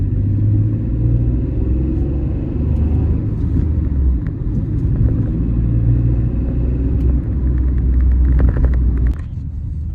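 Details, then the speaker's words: Citroen C1/Aygo/107 with 105,000 miles, test drive after the misfire was fixed: low, even engine rumble under road noise as the car pulls along, no stumble or jerk; drives smoothly again. "fixed it's driving a treat again it's not the fastest thing in the world but it'll get Heather from A to B"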